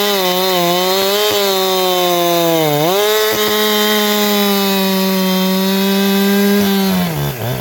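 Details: Chainsaw with a big-bore shotgun muffler mod, cutting at high speed: thin high-pitched scream, brief sag under the cut, then a sharp climb back; owner says it has leaned out after the mod and needs more fuel on the high screw.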